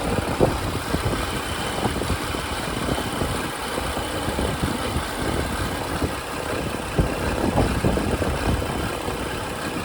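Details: 2011 BMW 535i F10 N55, about 109,400 miles, healthy steady idle with very loud direct-injection injector tick and no timing chain rattle.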